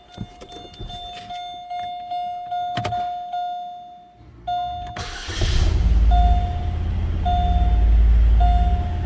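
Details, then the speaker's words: 2006 Chevrolet Malibu 2.2 Ecotec four-cylinder, spark plugs already changed: lumpy, uneven chugging idle, feels like running on two or three cylinders, flashing check engine light, P0300 with cylinders 1 and 4 dead; misfire from failed ignition control module. "you can feel it like it's running on three cylinders or two cylinders there goes the flashing check engine light"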